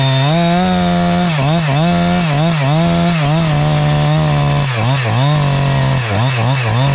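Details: Husqvarna 372 clone chainsaw with Hexa chain, carb newly tuned in the wood and set a little safe, cutting an old log: a high scream that dips under load and burbles back when freed. Good throttle response, healthy tune.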